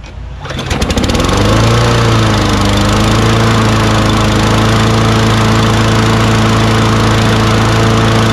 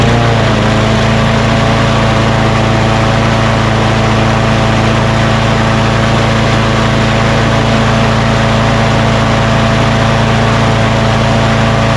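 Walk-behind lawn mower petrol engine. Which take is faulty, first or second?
first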